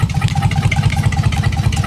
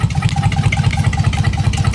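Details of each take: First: Dodge Magnum SXT 3.5L V6 stroker with big Inertia cams and hand-ported heads and intake, on its first start. A deep, choppy, lopey idle from the big cams; the computer is thought to be still learning the cams and fuel trims likely need tuning. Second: Dodge Magnum SXT 3.5L V6 stroker, first start, Inertia cams, hand-ported heads and intake: choppy loping idle, steady uneven exhaust lope about eight pulses a second, attributed to a big aggressive cam.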